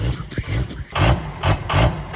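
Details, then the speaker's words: 1700 hp twin-turbo 3rd Gen Cummins drag truck at start-up after rebuild: diesel lopes in uneven heavy bursts about twice a second instead of a smooth idle, whole truck shaking; rail pressure sensor was unplugged, possibly also air in the system. "It's not supposed to, but it does it. The whole truck is shaking."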